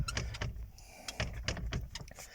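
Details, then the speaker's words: Opel Zafira driven with no passenger (no knock with a passenger aboard): sharp irregular knocks every fraction of a second over low road rumble, a rattling seat back; cause not yet found. "Opel Zafira задолбал Мне этот стук при езде с пассажиром еще не стучит вообще А вот едешь сам посмотрите спинка"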